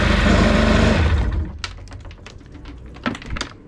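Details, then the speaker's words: Auction non-runner GTX direct-injection jet ski, roughly 950–1000 cc, hoses unconnected, after fixing a clicking no-start: short cranking clatter, fires and runs a second before cutting, no clicking; normal start. "there we go couple pounds a couple pounds spent on it and she was like a champ"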